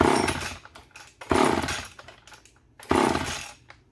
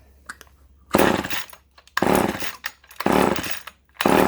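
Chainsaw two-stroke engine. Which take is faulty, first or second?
first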